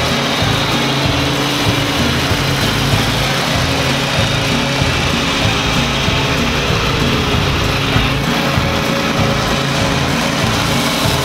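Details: DR leaf vac bought with missing parts, small petrol engine with electric start that had sat a long time, after repair: steady busy even drone with no knocks or stumbles; running properly.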